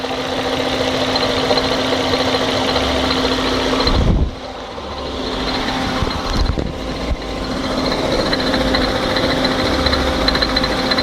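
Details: 1998 Fiat Marea petrol engine idling: steady tone with busy, rattly ticking layered over it; abnormal engine noise, cause not identified.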